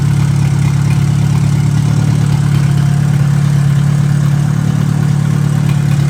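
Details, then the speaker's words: 1957 Hercules four-cylinder power unit with magneto, radiator steaming with no cap, not really hot yet: low, even idle with a steady regular beat and no knocks or ticks. Ran really well; 20 lb oil pressure noted. "oh pretty excited it ran really well so uh not really hot yet"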